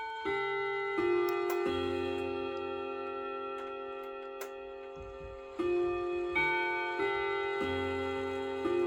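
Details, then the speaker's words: 1979 Trend Clock Co. wall clock, Hermle 351-030 movement, restored and hung back on the wall: clear, even bell tones in a steady chime sequence over a faint tick, so the chime train works normally. "So turned out really pretty, and I especially like the chimes."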